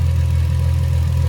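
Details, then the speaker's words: Porsche Boxster S flat-six idling after the power steering pressure line replacement: deep, even, steady rumble with no knocks or misses; residual fluid smoking off the headers; normal idle. "so i just got to let it burn off but i'm glad everything went together well engine runs seems to be running just fine"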